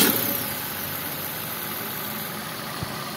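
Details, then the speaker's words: Suzuki All New Ertiga / XL7 non-hybrid after replacing the V-belt tensioner bearing that caused a rough noise: steady, even idle with a smooth hum, no grinding; now back to normal. "nah jadi seperti ini ya untuk kondisinya yang tadinya itu suara ini ya suara kasarnya itu benar-benar e kedengaran atau enggak normal nah ini udah normal kembali ya"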